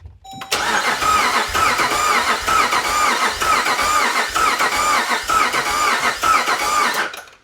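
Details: 5.7 Hemi V8 Jeep Grand Cherokee with newly installed El Chapo cam, not yet started after tuning, during a compression test: starter cranks with even, regular pulses, each stroke alike; this cylinder reads about 150 psi, healthy.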